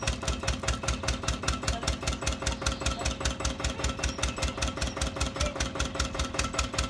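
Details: Old Winget one-ton dumper, long-stored single-cylinder Lister PH1 diesel: heavy, steady thumping two to three per second over a rattly exhaust, tired and down on power. Owner suspects blow-by from badly worn rings; filters long unserviced.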